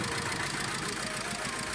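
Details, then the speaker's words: Mitsubishi Strada Triton 2.5 diesel after its overdue timing belt snapped, first run after fitting a new belt and tensioner: clattering, uneven idle missing on a cylinder, sounding like valve leakage from bent valves. "tapi ternyata ini mesinnya pincang ini coba kamu dengar berarti suaranya seperti ada kebocoran klep ini menandakan klepnya bengkok"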